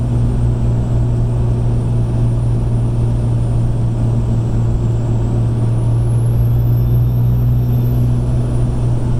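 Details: 2005 Ram 2500 with 5.9 Cummins diesel, stock turbo, 5" intake without silencer ring: above ~20 psi boost the turbo whistle becomes a thin supercharger-like whine that climbs in pitch over diesel rumble; no shaft play, no oil leaks, spins freely.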